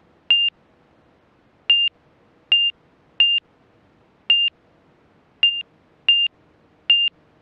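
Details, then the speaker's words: Montaer MC 01 all-metal high-wing light sport aircraft on one-mile final to runway six, full stop: short high gentle chirps at uneven spacing over quiet cabin noise as airspeed gets slow; angle-of-attack low-speed warning. "there's our airway telling us that yeah we're getting slow but it's nice though you could fly with that gentle beep and know you're hanging it a little bit without being too slow"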